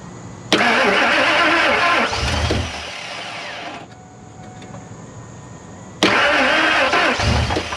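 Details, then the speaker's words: 2000 Ford F250 2WD extended cab, flowmaster exhaust fitted: starter churns about three seconds with a few weak firing attempts that never catch, then cranks again; no start, owner unsure if valves are stuck. "well it attempted to but i don't know if valves are stuck or what"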